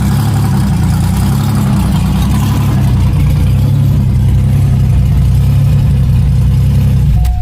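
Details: 1994 Chevrolet Cavalier, 5-speed, freshly built 3400 V6 with ported 3500 heads, strip cam, headers, first start: loud, deep open-exhaust rumble at steady idle, even firing, no knocks or ticks; normal idle, though oil pressure gauge reads nothing.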